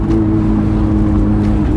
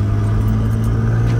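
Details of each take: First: Nissan R32 Skyline GTR cruising after being put back together: a steady, even low drone with no rattles, leaks or popping; it runs properly again. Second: Nissan Skyline R32 GTR driving: loud, raw, unmuffled low rumble with audible turbo from exhaust leak where downpipe separated at the joint.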